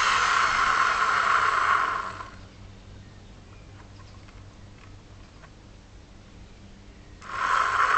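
Harsh high motor roar in bursts with a fast rough rattle under it, dropping to a quiet lull between; worn vacuum motor bearing.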